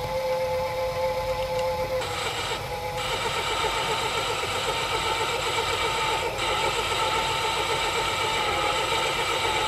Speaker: いいですね。このように処理できるようにする必要があります。